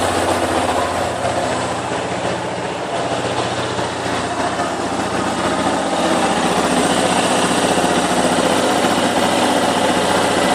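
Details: Yamaha Fazer YS250 after cam chain tensioner replacement: steady single-cylinder idle, even beat about four per second, no tapping; the earlier noise is gone and power improved, normal idle.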